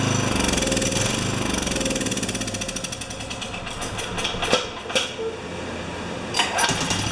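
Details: Makita G2400R generator (Subaru Robin engine) with a Briggs & Stratton carburetor fitted: catches, then hunts and stumbles with uneven pops and surges; runs rough.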